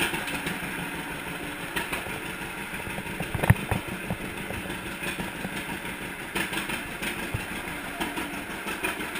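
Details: 1942 John Deere Unstyled A two-cylinder, previously stuck engine, first start after new spark plug wires. Low, loose chuffing idle, steady, with no knocks or clatter. The tractor engine is running healthy.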